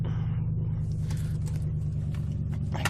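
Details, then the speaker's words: 1997 Ford Taurus SHO 3.4L V8, a no-start with fuel pressure and spark confirmed, fixed by replacing the crankshaft position sensor with an OEM Ford part: a deep, even V8 idle whose speed wanders slightly up and down, now running on its own. "check out idle here it's always changing"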